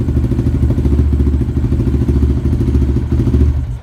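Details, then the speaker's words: Yamaha Raptor after FCI intake install, revving: single-cylinder with pronounced intake sucking rising with throttle; owner thinks it is a little rich on the bottom and lean on the top end and plans to retune the old Dynojet tuner. "Hopefully, I can't see from there, but should be able to notice a little difference. You can definitely hear it sucking."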